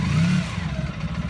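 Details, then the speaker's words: 1995 Honda Pan European ST1100 motorcycle with a new timing belt, period stainless exhausts and rear wheel off the ground: a brief rev settles into a deep, even, smooth idle, not overly noisy, with no knocks or rattles. Normal idle. "as you can hear, it sounds lovely. It's not overly noisy, purrs beautifully."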